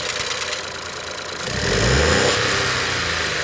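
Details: Ford 1.0 EcoBoost at idle: quick rattling tick that thickens as the revs briefly rise. Owner suspects the variable valve timing. Ticking noise at idle, source unconfirmed.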